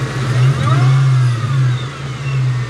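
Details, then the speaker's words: Kenne Bell supercharged Mustang Cobra on E85 with new Ford Performance 47 lb injectors and fuel pump, closed loop, AC on: quick rev blip then smooth return to idle, deep even note; normal rev and idle. "give it a little rev ac is on bam comes right back down to idle no problems car is sounding phenomenal there are no problems with it"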